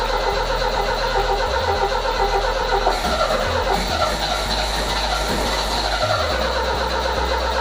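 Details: 1978 MGB convertible after replacing two bad relays: cranks, then sits there sputtering and popping with irregular low thumps, never settling to smooth idle; owner suspects plug wires backwards, numbers three and four swapped, cause unconfirmed.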